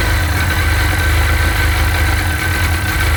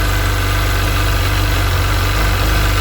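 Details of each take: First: Sea-Doo 951 DI two-stroke during custom rebuild troubleshooting, idling with low but steady air-injection pressure (should be 80 psi); loud idle with slightly uneven, lumpy beat, no surge; rough idle, owner suspects the air pressure regulator. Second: Sea-Doo 951 DI two-stroke after custom rebuild, air system fed shop compressed air at a steady 80 psi, fuel pressure steady near 107 psi spec; even, smooth idle around 1450 rpm with steady low drone, no stumbles or surging; normal.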